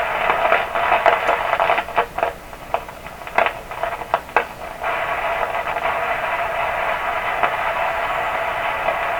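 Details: 1929 Victor RE-45 radio with a third #27 detector tube fitted: irregular sharp pops and crackles over steady hiss, about two a second, at full voltage; noise persists, so the #27 tubes are ruled out and the partial-discharge-like crackle's source is unknown.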